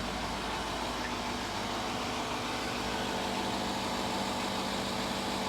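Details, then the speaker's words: 2011 Range Rover Sport after blown head gasket repair, no check engine light, A/C compressor heard cycling; smooth, even idle with a steady low hum, no smoke, misses, knocks or ticks: normal idle. "listen to this thing run no smoke listen to her"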